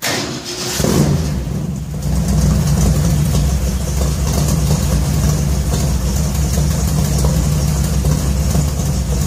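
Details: 1966 Ford F100 shop truck with new headers and a newly built exhaust, still on a points ignition, at its first start. Cranks and catches in a second, then an even, deep, steady V8 burble with no ticks or rattles.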